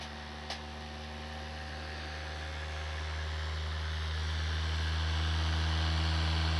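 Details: Computer after CPU fan replacement, recorded on a compact digital camera's built-in microphone: steady low hum with a faint tone slowly swelling over several seconds; unusual sound from the new fan, cause unclear.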